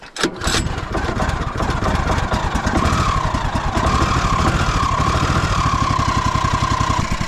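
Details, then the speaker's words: Sawmill chainsaw-type small engine catching after a rough start, then settling into a steady, even idle with no misses, which is normally when it is running well. "okay you can hear it smooth out there oh oh that's usually when it's good"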